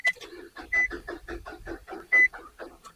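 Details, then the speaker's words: 2003 Nissan Altima 2.5L no-crank, cranked with a chipless cut key after hitting the solenoid with a hammer, hot day: slow uneven chugs about six a second, no firing; failing starter, suspected bad internal connections/solenoid, starter to be replaced. "I know it sounds like poop but I think that starter has been connections inside of there so we should be good"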